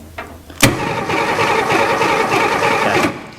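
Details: Abandoned 1961 Ford Falcon, long parked: steady cranking churn for about two and a half seconds with no catch; turns over but won't start, distributor points old and dirty, suspected no spark, to be filed.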